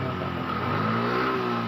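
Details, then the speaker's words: Yamaha Mio M3 125 scooter that kept stalling on the road and was very hard to start, now starting at once after its injector was replaced and showing no fault code: it revs smoothly and holds an even note without misfires; normal revving. "Ini teman-teman motor sudah hidup kembali"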